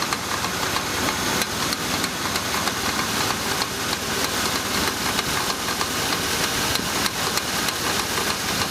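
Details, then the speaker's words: GMC Jimmy engine just started, before adding oil additive: fast, uneven ticking about three per second from the valve train at idle; hydraulic lifters suspected as the cause, not confirmed. "вот только что я завел двигатель наверное вы сейчас можете слышать вот этот стук такой и неравномерную это вот системе газораспределительный механизм а стучат вот эти самые гидрокомпенсаторы скорее всего"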